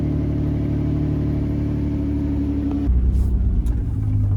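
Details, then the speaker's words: Vehicle started after a battery/alternator no-start, idling deep and loud with a heavy low drone. It is suspected, not confirmed, that the exhaust was cut off, possibly the catalytic converter. "Sounds like someone cut the exhaust off of this. Maybe that's why it needs a catalytic converter, because I mean, I'm not sure, but they probably cut it off because this shit sounds pretty loud."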